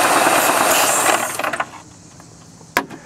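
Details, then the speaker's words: GM series I supercharged 3800 (L67): a loud airy hiss over the running engine from a large vacuum leak at the failed supercharger-to-lower-intake gasket, bad enough to stall it. Linked to lean codes P0171/P0141, rough running and high idle. "So that's a hell of an air leak. If you could stall it doing that."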